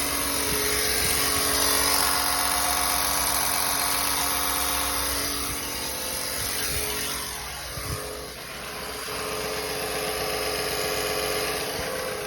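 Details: 2017 Chevrolet Silverado V8 after DOD delete, idling: fast even light ticking nearly four per second over steady hum, smells like fuel; top-end tick, cause unclear.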